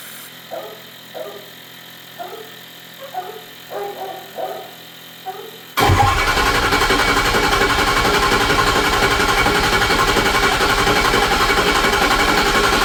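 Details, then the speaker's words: 2006 Ford F-350 6.0 Powerstroke diesel, first start after high-pressure oil O-ring repair and ICP-port air testing: about six seconds of slow even cranking while oil rails refill, then catches and runs steady; extended crank normal. "When I was testing the high-pressure oil system by applying air through the ICP port, it forces oiling out of the highpressure rails and therefore it has to not only refill the high-pressure oil rails but then make enough pressure to fire the injectors."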